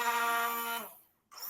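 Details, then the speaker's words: Yamaha R15 V4 starter motor after repair, bench-tested with direct connection: clean whine winding down and spinning up again, no krak-krak clacking or grinding; normal starter sound. "देखिए normal अब self से बिल्कुल भी कराक कराक का sound नहीं आ रहा देखिए सेल्फ का नॉर्मल जो साउंड है वही साउंड आ रहा"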